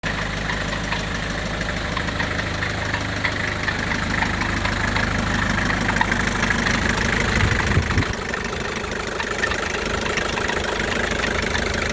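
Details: 1984 Isuzu P'up diesel idling with a rough, uneven knock over the clatter, dipping briefly near the end; unidentified idle noise, source not determined.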